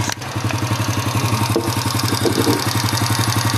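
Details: Honda Astrea Impressa (same engine as Grand Supra/C100) single-cylinder motorcycle, smooth when cold but noisy when hot; light steady tick about four per second appears around 60 degrees and grows as it heats, cause not confirmed.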